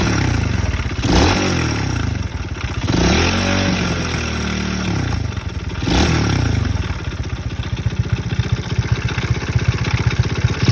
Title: Мопед альфа, мопед 110,стучит двигатель, стук возле сцепления